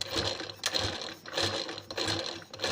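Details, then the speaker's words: Sewing machine run at speed after the needle-touching-shuttle tick was fixed: dry clattering rattle with each turn; machine dried out and lacking oil. "लेकिन अब ये जो आवाज आ रही है यह मशीन के यल के वजह से आवाज आ रही है"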